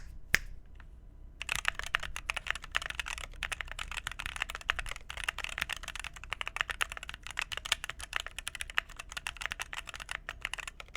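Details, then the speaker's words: Phoenix45 keyboard, red aluminum case over brass weight, 2U backspace: quick even soft clacks with no ping, rattle or hollow echo, much better, backspace sounds good. Normal typing sound. "Much, much better. That backspace sounds good. Yeah, that sounds 10 times better."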